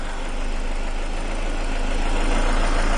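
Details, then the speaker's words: 2000 Ford Escort that dies at red lights: rough idle picks up and grows louder as propane reaches an intake vacuum leak, then nearly dies when removed. "right there you hear the idle change O A lot it likes that let's take it away and you hear the engine's about to die okay so we got a leak back there"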